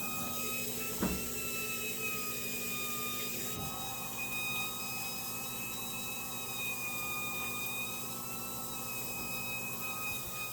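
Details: Year-old Whirlpool top-load washer: steady piercing squeal over hiss and hum, one pitch with slight waver, heard while filling (previously only on spin cycle); high-pitched squeal, cause unknown.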